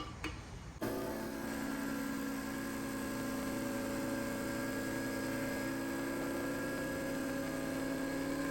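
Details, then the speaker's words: Harbor Freight 21-gallon air compressor, about 15 years old, after fixing leak and on-off cycling by tightening the coil spring on the check valve seal side, pressure switch about 135 PSI: steady even motor hum, no hissing; normal running, leak gone. "don't hear any leaking now just good it was leaking right here"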